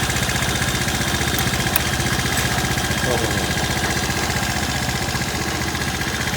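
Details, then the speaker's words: Apachi Alfa motorcycle, 764 km, engine sound had changed after kick pedal pressed while running: after adjustment idles with steady even beat, no knocking or rattling; normal. "Çok sağ ol güzel çalışıyor şimdi böyle bir sıkıntı yok ki"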